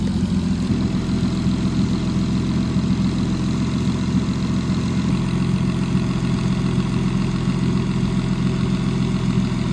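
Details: 500whp turbo M50 inline-six BMW E30, after fuel issues fixed, warm after a drive: deep steady six-cylinder rumble at even idle, no stumbling or misfires; running properly.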